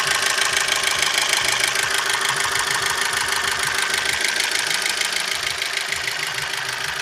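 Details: Opel Z16XER engine after timing belt jumped teeth while driving and was reinstalled to the marks: sharp metallic tapping about two per second, evenly spaced over steady idle; engine knock appeared after the repair, source not pinned down.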